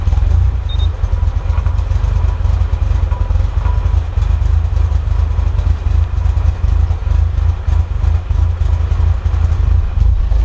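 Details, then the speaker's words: Mitsubishi EVO, first real startup after fixes, no ticks, knocks or check engine lights: loud, lumpy uneven idle at about 900 rpm, slightly improved; rough idle, cause not yet found. "So as you can hear, it's a rough idle, but it seems to have improved a little bit. And it's sitting at about 900 RPM."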